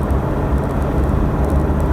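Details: Stone-cold 2013 Toyota Hilux Vigo diesel, 1.5–2 minutes after start, driving under light throttle with the window down: an even low drone with no knock or rattle, normal quiet running.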